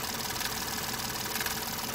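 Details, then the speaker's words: 2012 Ford F-150 3.5L EcoBoost with no power and codes P0087, P0174 and P053F, fuel rail pressure very low: rough idle with a fast, dry, sewing-machine clatter, pointing to a failing high-pressure fuel pump. "the dead giveaway here the high-pressure pump problem is that clattering"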